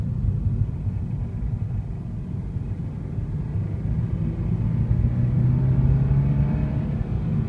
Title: Unknown engine sound 2